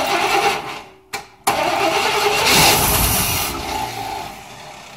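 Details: GM K10 pickup small block with TBI, cold dry crank with no oil pressure; sticky starter grinds, engine catches and revs with dry clattery top end; lifters rattling from no oil to pump them up.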